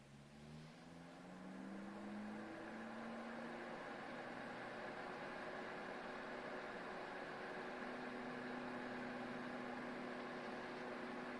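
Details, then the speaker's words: Titan TTC-SC21 roof-window fan installed in a campervan, run by remote blowing air in: spins up, then steady even whir and airy hiss with slight hum, which the installer thinks may come from makeshift mounting letting something touch and vibrate; normal fan operation. "Tak jak słyszycie jest szum. Jakieś lekkie buczenie jest, ale to być może dlatego, że ja zamocowałem to po prostu po prostu po bandycku, nie?"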